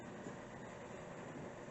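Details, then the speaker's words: Shurflo 110 V water pump, solar-powered, feeding a Camplux water heater; steady, fairly quiet low hum without surges or knocks, audible but not roaring; diaphragm pump running smooth and normal. "now it's running right now and as you can tell it's not making a whole lot of uh noise i mean you could hear it running but it's not just totally"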